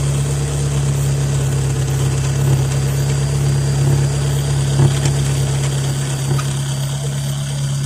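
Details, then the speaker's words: Steady low idle at exhaust pipe joint with loose, uneven rattle and light puffing; loosened clamp lost its seal, exhaust leaks and pipes knock together. "Со временем зажим ослаб, и соединение потеряло герметичность. В результате в этом месте начала происходить утечка выхлопных газов, из-за чего детали стали дребезжать друг о друга."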